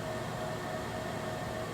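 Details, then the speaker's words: Joyzis portable power station, cooling fan running briefly for the first time after about half an hour of running; soft steady airy hum, faint constant tone, no rattle or scrape, normal cooling fan operation. "So that was the first time I'd heard the cooling fan come on. Not very loud, and didn't run very long. So cooling fan works."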